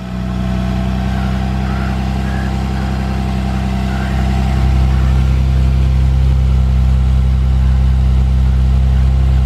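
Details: Lexus IS300 manual at about 169,000 miles, which starts right away. Steady, even low idle with a smooth, unbroken beat and no knocks or misses: healthy engine.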